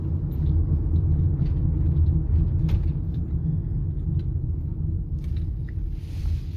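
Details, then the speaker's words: 2009 Toyota Sienna FWD 3.5 V6 driving: steady deep drone and rumble heard in the cabin at any speed, from a bad front wheel bearing; which side is not yet determined. "so basically the noise is always there no matter like as soon as you drive at at any speed you can hear the noise."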